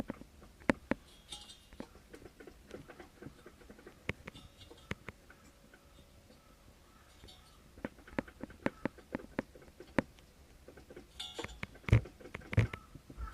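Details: Mitsubishi 360 ME24 engine, engine off: irregular light metallic clicks and rattles as the cooling fan is rocked by hand; owner suspects fan play may be the supposed piston knock, as a spare engine rattles far less.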